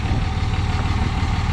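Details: 2006 third-gen Cummins diesel, just after installing Airdog II 165GPH lift pump, XDP fuel sump and fuel filter delete: deep even clatter at steady idle, no stumbles or odd noises; normal diesel idle.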